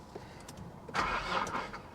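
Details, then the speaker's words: 2010 Infiniti G37(S) manual, salvage-auction car listed as run-and-drive, on a jump pack with 12 volts present: a short burst of starter cranking that never catches; crank, no start. "Oh. Well, that is interesting. She doesn't want to run. Okay, well, she doesn't want to cooperate."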